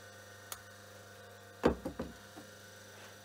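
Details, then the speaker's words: Myford lathe motor (4-pole, 50 Hz/230 V, resilient-mounted, oil-wicked felt plain bearings) switched on, just oiled a little: faint steady mains hum, a couple of handling clicks, no grinding or bearing rumble; quiet, healthy. "so switching on the motor here here it's quite silent just oil it a little bit"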